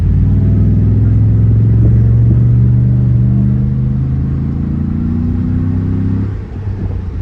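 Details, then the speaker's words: 2018 Cadillac Escalade V8 with a Magnaflow muffler (flapper valve removed), Speed Engineering shorty headers and a DOD delete cam, accelerating with the windows down. A deep throaty rumble swells smoothly with no ticking; still more intake than exhaust, stealthy but way more throaty. "And it's honestly, you still hear more intake than exhaust, which is good. It's pretty stealthy. It does sound way more throaty."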